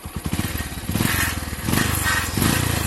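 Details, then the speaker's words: Single-cylinder bike the day after a service, fitted with a 135cc engine block from another bike, warming up; the exhaust note is now smooth, with even pulses and throttle blips and no knocks or misses. Normal running. "अगर bike on होती तो exhaust note सुन लो इसकी एक बारी। तो देख रहे हो कितनी स्मूथ इसकी आवाज हो चुकी है, देख लो।"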